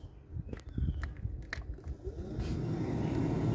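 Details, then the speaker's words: Jeep Comanche MJ with a newly installed replacement blower motor, tested after plugging in: a few handling clicks, then a smooth, even low whir with no rattle or squeal. Normal blower motor running. "one sounds good and quiet okay let's go see what it does inside"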